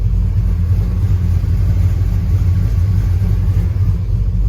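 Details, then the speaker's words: 1999 Dodge Ram 1500 5.2 (318) V8, codes for slow-response O2 sensor and bank 1 sensor 2 heater circuit, misfire worse until warm; deep lumpy idle stumbling about three times a second; owner suspects front O2 sensor, unconfirmed. "See, and this is why right now it's going into a misfire. And the O2 sensor's doing stuff. You can hear it really misfiring right now."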